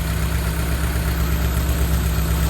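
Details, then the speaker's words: 2000 Honda City, manual, check engine light off, loud popping from the tailpipe; low, steady idle with a slight uneven jittery shake, not misfiring; distributor adjusted, which lowers idle but the jitter remains. Rough idle. "ayan oh hindi siya palyado ano siya parang bigil na gigil na ano ayun oh"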